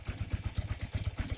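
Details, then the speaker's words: Normal idle of a 1984 BMW R80RT airhead twin after cleaning rust debris from the leaking Bing carb float bowls, air-fuel screws out a quarter turn, idle raised slightly: steady, even thumping with no misses; cylinders sound better balanced, no smoke. "For right now, pop the idle up slightly, and sure sounds like it's balanced better."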